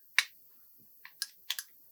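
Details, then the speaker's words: NUX Sculpture compressor guitar pedal under repair, with the board plugged back into the main board at power-up. Sharp dry relay clicks on a quiet background, and the clip level comes in then cuts out, so the relay side is working. "when when you plug in there's a you can hear the relay click and you can see the clip level comes in it then seems to cut out so I think the relay is working there"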